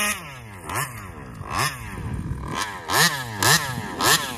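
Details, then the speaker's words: Taylor RC 35cc reed two-stroke in the Punisher RC car: each throttle blip sags and stumbles instead of settling into a steady idle; engine won't idle, owner suspects the carburetor. "so I think something's wrong with the carburetor"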